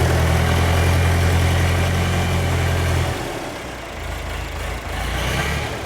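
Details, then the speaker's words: John Deere 310 diesel tractor engine, worn and due for overhaul, at low idle: speed swings up and down, hunting for an idle RPM. Governor problem inside the injection pump suspected; the engine also tends to run away at start. "as the engine's idling at a low idle the uh it wants to hunt for an RPM in which to to idle at so you can you can hear the engine up and down up and down up and down"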